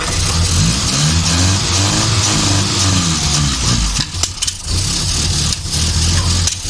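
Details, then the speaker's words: Morris Minor Van, parked when it last ran, first start attempt, jump-started from a leisure battery: it catches and runs unevenly in short revving stabs only on petrol poured in directly; no fuel is reaching it from the float bowl. "that runs i can't seem to get any fuel into it from the float bowl okay when you're ready"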